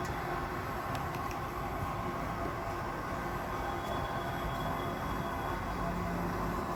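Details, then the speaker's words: Gas geyser making a hissing "saa saa" sound when switched on: a continuous, even roar with no rhythm or rise in pitch. The geyser is overheating the water, which flashes to steam, a potentially dangerous fault. "जो अभी साउंड सुना, यह साउंड खतरनाक भी हो सकता है। इसका सीधा सा मतलब यह होता है कि आपका गीज़र पानी बहुत ज़्यादा गर्म कर रहा है"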